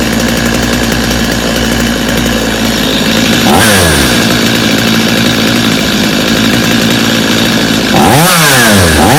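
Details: Customer's Stihl chainsaw after reassembly, customer's Bosch spark plug, started from full choke; crisp two-stroke buzz at steady high idle, snapping up cleanly on two throttle blips and dropping back; idle a little high but otherwise running well.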